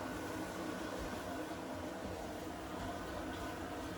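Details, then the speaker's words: Newly installed Bosch dishwasher on its first cycle, filling: a quiet steady hum with a soft even hiss and no knocks or gurgles; a normal fill. "We started spinning yet, are we still filling? Oh, you can see all the water coming in and then no water coming out there."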